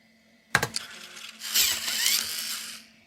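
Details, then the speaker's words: Apple Macintosh SuperDrive (Sony MPF-75W) floppy drive after repair, mic held close to the eject mechanism: a sharp click, then a short scratchy gear whirr as the disk ejects. Normal eject; the gear lubricant is still working in, and the slide is gummed up from age. "So just like normal, it's a little bit scratchy sounding, but it's definitely working, and that's a great sign."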